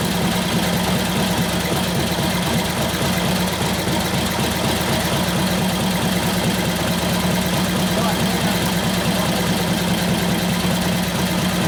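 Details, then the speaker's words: 1941 Harley-Davidson WLD 45 flathead V-twin, custom 56ci stroker build, warm and held under hard brake load in second gear: a strong, even beat that revs right through with no misses, knocks or rattles. It sounds healthy and better than before, as though it has a cam. "But yeah, it's definitely healthy sounding. It sounds better than it used to. Sounds like it has a cam in it."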